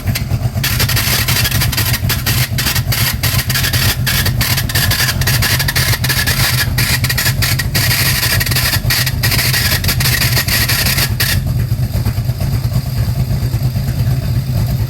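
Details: De Tomaso Pantera GTS clutch noise: the engine runs with a rough, gritty whirring and irregular rattling that quiets near the end. A bad clutch release bearing is the cause, even with new release bearings, both of which were faulty.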